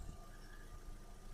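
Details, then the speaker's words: 2008 VW Golf Plus, 1.6 MPI BSE petrol, 75 kW, about 193,000 km, timing belt replaced at 182,000 km: quiet, even idle with a low hum, no misfire or smoke; healthy engine. "Мотор працює тихо, рівно, не димить, не троїть."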